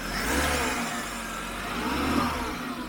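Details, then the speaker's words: 1996 Jaguar XJ6 X300 straight-six, first start after sitting abandoned outside for 5 years (bad differential awaiting swap), oil pressure present: smooth rise and fall of revs with clean pickup and no tapping or misfire; normal revving. "But that sounds really nice. We have oil pressure in here and I think it sounds really decent. What do you think? Sounds really smooth."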